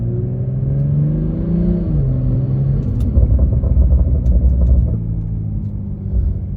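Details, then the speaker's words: 2020 BMW M340i with a self-installed charge pipe and a no-boost problem, exhaust valves open, revved to about 3,500 rpm; it climbs smoothly and settles to an even rumble with no rattles, hiss or misfires, and sounds good. "All right. Sounds pretty good. That's about 3 and 1/2 K."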